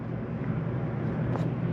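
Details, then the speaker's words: 2022 Jayco Eagle 29.5 BHDS AC switched on from the control panel with the setpoint lowered below 50 from 90: even, low droning rumble, steady with no knocks or squeal; AC running normally. "all right so there's your ac running"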